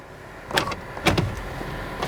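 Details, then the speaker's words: Power windows on a Florida saltwater flood car: short whirring runs of the window motor ending in soft thuds at the stops, the window travelling freely; windows working normally. "overall windows are working for some reason the sunroof is okay"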